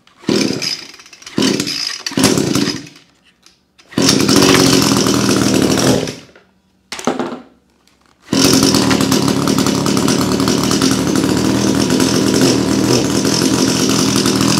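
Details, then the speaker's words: Echo PAS-266 string trimmer after trimmer head swap to EchoMatic Pro and driveshaft lubrication, started after storage: a few pull-start bursts, then steady even high two-stroke buzz, no misses or surging; runs normally. "Spinning just fine. Cool. Resurrected from storage and runs great."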